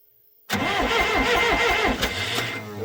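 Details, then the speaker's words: 440 skidder diesel after owner rebuilt the injection pump himself, at full throttle: fast, even starter cranking with brief coughs, but it never catches. Owner suspects air because the injectors were never bled, or possibly timing. "it's trying. It tried. So I never bled the injectors, so that's, you know, probably a lot of air in it."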